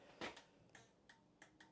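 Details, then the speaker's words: 2017 Honda MSX 125 (Grom), 2,773 miles, fresh battery, ignition on, right indicator stuck on: sharp irregular relay clicks, about five in under two seconds, uneven spacing and strength; abnormal flasher relay clicking. "the hell was that noise the relay did not sound good then left indicator does work the right one stays on so we've got an issue there"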